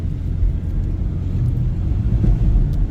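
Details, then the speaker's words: 2010 Mitsubishi Outlander, about 185,000 km, road test after new rear shocks, front struts, lower ball joints, lower control arms and sway bar links: steady low road rumble, no clunks, knocks or rattles; suspension quiet and solid, noise fixed. "Suspension feels nice. No clunk, no noise."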